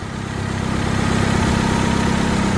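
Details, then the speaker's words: Honda Civic EK coupe, all-motor D16 single cam, tuned without IACV: warm engine idles evenly near 1,000 rpm, idle bumped up to keep oil pressure higher; no hunting or surging, smooth low rumble. "So it's always good, especially on a motor that's been popped up a little bit like this one, to kind of bump the idle just a little bit to keep the pressure a little bit higher inside the motor. But this thing is smooth as glass."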